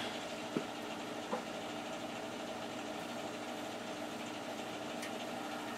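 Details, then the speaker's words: Newer boiler, only a few years old and side-vented, just started for the first time this heating season in a cool house: quiet steady hum from the burner and circulator with a couple of faint early clicks; very quiet, normal boiler operation. "This is a very quiet boiler."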